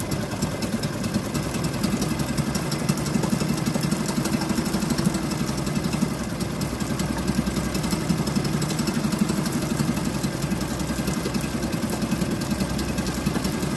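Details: Suzuki DF2.5 2.5 HP outboard in water test after no-start repair, everything reassembled, fuel valve and tank vent open: single cylinder ticks over steadily with even, fast patter, no misses or surges; normal running.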